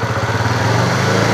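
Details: Honda CB fuel-injected motorcycle that stumbled on throttle despite five services, after repair: short pull with steady thrum rising evenly without stumbles or cut-outs; throttle response clean, normal.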